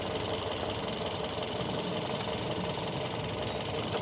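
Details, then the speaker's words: Used ex-taxi car engine settling into idle with AC off, after coolant circulation check: busy, fairly even mechanical clatter with no loud knock; no problem, engine safe. "ini pas lagi Sudah sudah mulai ID ya mesinnya mesinnya sudah mulai ID tidak tidak ada tidak ada masalah masih aman"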